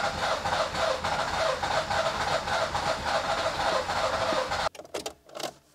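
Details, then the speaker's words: Nissan Micra K11 crank-no-start: even starter churning, about three or four turns a second, never catching. Flooded engine with fouled spark plugs. "It's definitely flooded. It's got a lot of fuel in there still. I'm just trying to clear it out now."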